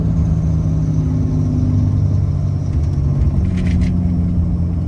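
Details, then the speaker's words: Ram 6.7L Cummins diesel, turbo rebuilt with Amazon parts ~1 year/30,000 miles ago, towing trailer: deep, steady drone as turbo exhaust brake slows truck quickly, engine note settling evenly, no rattles; brake and spool working normally. "slows down super quick with the turbo brake."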